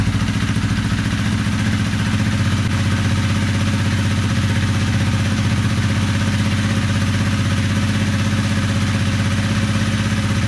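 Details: Honda CRF250L, 3,851 km, after top-end rebuild replacing broken piston ring, piston and cylinder (damage attributed to old fuel): single-cylinder thumps along at steady, even idle with no tapping or rattle; healthy.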